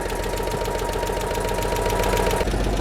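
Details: Citroen 2CV engine heard via a washer-pipe stethoscope: rapid tapping about 220 a minute, not fully even, over the idle; owner suspects internal engine knock, not exhaust; compression later 180; source unconfirmed.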